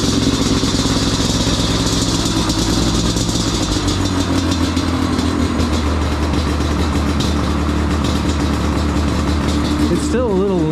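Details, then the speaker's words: Yamaha Banshee two-stroke twin, not fully warmed, temporary foam air filter, half choke: rough, uneven burble that sags and hunts, running slightly lean on the pilot circuit; still needs tuning. "Yeah, still a little bit of tuning left, but it sounds like a Banshee."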